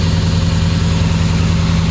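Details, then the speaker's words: 2007 Dodge Ram 4.7L, stone cold, code P0507, throttle position at 0%: fast, steady idle with a smooth low drone that never drops; high idle from a vacuum leak, suspected at the back of the engine. "So we're at 0%, and it obviously can't go any lower than 0. So we must have a leak here somewhere."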